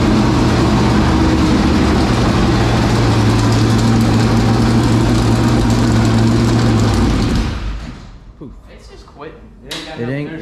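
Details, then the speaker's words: 465 ci race engine started for the first time in three years: runs rough and loud about seven seconds, then fades and dies once the fuel in the carburetor runs out. The fuel pump is suspected of not delivering fuel. "the carburetor up when all that runs out we ain't getting fuel okay so yeah i think our fuel pump ain't doing good"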